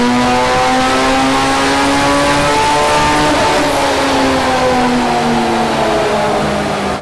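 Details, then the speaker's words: Ford Sierra XR4i with a turbo Honda S2000 F20C engine on the dyno under full load, after removing a clutch pedal stopper that likely caused slip. Strong, steady engine note with no surging or flare; the clutch holds, and the run made 297 hp. "so let's see what happens when we actually put it under some proper load fingers crossed this is the solution"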